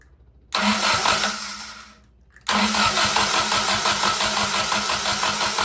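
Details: Willys F134 engine, started after sitting for years, fuel pressure regulator just fitted: starter cranks, it catches and settles into a busy, slightly uneven idle at about three pulses a second; too much fuel suspected.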